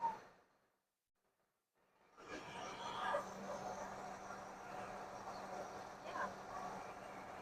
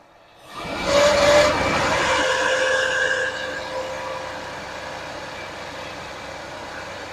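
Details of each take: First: 1979 Lincoln Continental revived after sitting abandoned 32 years, idling after the smog pump belt was cut off: quiet, even idle with a soft steady hum and no ticking, squealing or belt noise; normal idle. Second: 1979 Lincoln Continental 400 V8, abandoned 32 years, first start on a rigged fuel system: a harsh, scraping whine stays steady over the idle; a screwdriver used as a stethoscope confirmed a failing smog pump bearing.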